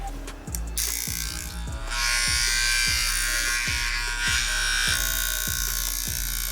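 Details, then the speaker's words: 1964 vintage Andis Master hair clipper before restoration, loose part, original dull blade cutting only a little: harsh buzzing climbing to a loud, rattly high-pitched whine with a rapid regular pulse; rough noisy running, cause unclear. "Alright, we'll get this running a lot better and a lot.....(noise increases). That sounds horrible!"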